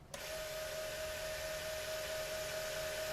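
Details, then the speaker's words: QIC tape drive fitted with a replacement plastiband tension band, running forward: a steady hiss with a distinct constant mid-pitched tone; suspected that this uneven drag could upset the data timing phase-lock loop, unconfirmed. "can you hear that that sounds more distinct than this"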